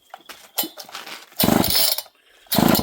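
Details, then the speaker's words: Old Homelite chainsaw with a manual oiler, fuel added and choke on, hard to pull over: two hard rope pulls each give a rasping burst, but it never catches or fires; a no-start, cause unknown. "And there you go, friends. She is not a runner today."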